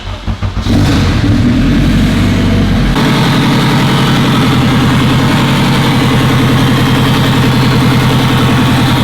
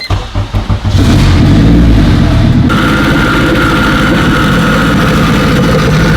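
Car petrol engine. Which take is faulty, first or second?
first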